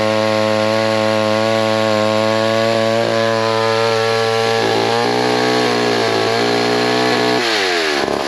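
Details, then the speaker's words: McCulloch chainsaw (10-10s or Pro Mac 55) got running, under cut: loud high buzz wavering slightly then dropping off; sounds off tune, owner suspects it needs adjustment. "looks like it needs a little adjustment sounds like let me uh play with a little bit and we'll make another few cuts"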